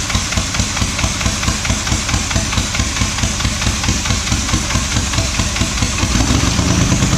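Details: Diesel truck started after sitting five years gives a hard, pounding beat that keeps building and speeding up on its own and won't settle; a runaway diesel.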